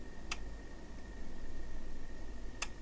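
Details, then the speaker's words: Siglent SDM3065X bench multimeter in dual-display mode (DC volts and AC volts), two crisp relay clicks about two seconds apart over a faint hum; normal range switching as it alternates between the two readings. "that clicking? It's switching between ranges. It's not two independent readings as such. It reads one, then it reads the other."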